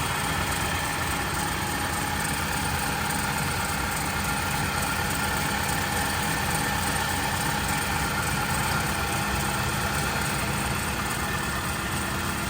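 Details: Loud, rough idle with a heavy, constant mechanical clatter over the engine note, excessively noisy after the frame was changed; source unknown.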